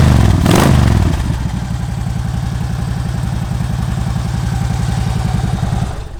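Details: 2009 Harley-Davidson Ultra Classic, 78,000 miles: brief starter burst, catches, steady loping V-twin idle with even beats; normal start and idle, healthy.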